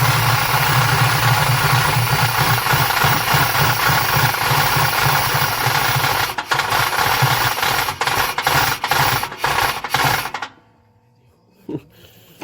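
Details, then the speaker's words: Chevy Silverado Z71 (1993 or 1994) with swapped 350 crate engine and 4L80E: rough idle with uneven rattle and knock until shutdown, traced to a visibly cracked, flexing flexplate; timing kicking back slightly, no smoke, motor otherwise seems good. "that flywheel sounds rough timing to kick back on me a little bit that's why I don't want to run run do it anymore"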